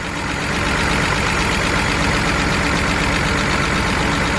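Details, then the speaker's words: BMW 328i idling loud and lumpy with an uneven beat; unplugging coils one by one shows no change on cylinders three and four, so it is misfiring on those two; a coil is suspected over a plug. "so this is actually thing is running on four cylinders so we got a coil"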